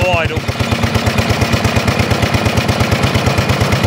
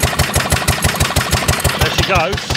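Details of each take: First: 1930s Dennis Z Type 30in lawn mower, single-cylinder, barn-stored for years, after points and carburetor clean: starts on choke, choke fully off while warming up, loud sharp gunfire-like cracks at a steady fast beat straight out of the port, no exhaust fitted. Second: 1930s Dennis Z-type 30-inch lawn mower after sitting in a barn for years, first run after points and carburetor cleaning. Choke just turned off, warming up with sharp, evenly spaced single-cylinder firing beats settling into a steady run.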